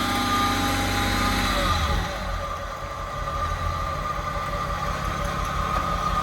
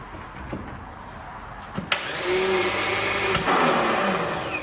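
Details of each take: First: VW Mk1 Cabriolet with VR6 swap, after new battery and starter fixes: even idle climbing into a clean rev and settling, smooth firing with no knock or miss; engine runs strong. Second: VW Mk1 Cabriolet with VR6 swap: a couple of sharp clicks, then steady whirring spin with no engine turnover; starter motor engaging poorly.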